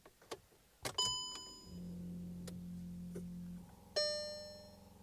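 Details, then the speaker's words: Seat Ibiza after repairing AFS headlight fault 02629 and coding, ignition on: low, steady electric whirr for about two seconds between dash chimes, then stops; headlight leveling motors sweeping normally. "You should be able to hear the headlights obviously moving."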